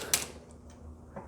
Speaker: you can hear that sizing die squeezing down [Applause] otherwise though these cases don't look so dirty just yet still pretty clean for having three firings so far